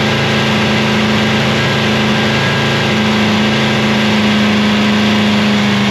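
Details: Free 327ci Chevy V8, on a cold morning of about -3 degrees, in an episode sorting oil pressure and a cam and lifter swap: steady, even run at raised revs with a clean constant tone and no knocks or ticks; healthy.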